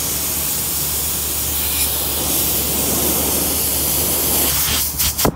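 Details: Addison dehumidification unit: loud, steady high hiss of refrigerant rushing out nonstop, then handling clatter, after the badly bent TXV equalizing tube broke while being moved; refrigerant leak from broken tube.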